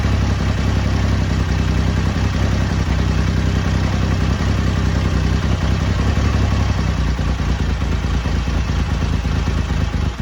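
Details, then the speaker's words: BSA Rocket Three Mark 2 five-speed A75V triple after carburettor service for erratic running, just started and still cold, slow to start from over-choking: even, steady rumble with no misses or surging, running smoothly. "there we go uh sounds good took a little to start it because I think it was over choking it so as soon as I backed off the choke a bit and give it a more bit more air it was fine"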